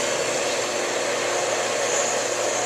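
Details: Challenger 1.5 hp pool pump, restarted after replacing the leaking shaft seal and bearing seals. While priming and pulling water it gives a steady rushing whir and constant hum, with no grinding, squeal or surging.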